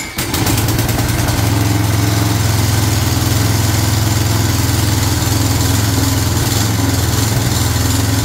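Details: Non-running Craftsman 22" walk-behind string trimmer, 6.75 ft-lb Craftsman flathead single-cylinder, long sitting, primed with spray before carburetor replacement; catches and holds a fast, buzzy, slightly uneven idle, first time heard running. Normal running.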